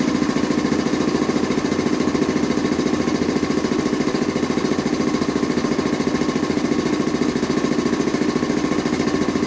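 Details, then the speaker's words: Quincy Model 325 air compressor after rebuild with cleaned cylinder head and rebuilt valves, test run: even steady pumping beat about two strokes a second, no knocks or rattles, no discharge valve leak clicking at intake; normal running. "well that sure looks good to me"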